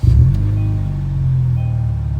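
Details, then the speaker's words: 2016 Kia Optima SX with oil-burning issue, warm start (not cold) after Liqui Moly additives and oil top-off, muffler delete: deep, steady low rumble with even beat, no knocks or ticks; healthy idle, loud only from the open exhaust. "pretty quiet if you ask me it's just loud because of the muffler delete but all in all it doesn't sound bad"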